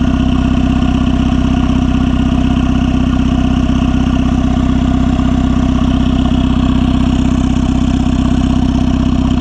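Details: Turbo-swapped Honda Civic (R18 turbo kit) idling steadily with a soft, even pulse about four times a second and no knocks or misses. Crankcase movement and venting are audible at the open vent, now kept as a breather. Normal idle.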